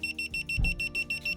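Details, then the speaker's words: Guardian wireless water leak sensor in a basement, tested with water to see if it closes the main valve; shrill, high-pitched beeps about six a second without pause as the sensor detects water. "I guess it's good that it's annoying, but nevertheless, seems that when it's automatically set up to when any one of these detect water, it will automatically close the valve."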